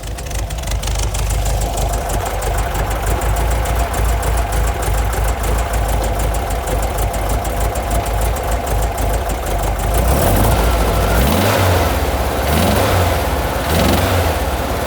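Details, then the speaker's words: 1959 Intermeccanica 356 D Cabriolet replica, 1600cc engine with Weber carburetors, automatic transmission, about 23,158 km: steady even idle, then revs climb and fall cleanly without odd knocks; running and revving normally. "Again, with the 1600cc motor and the automatic transmission, she's a cruiser."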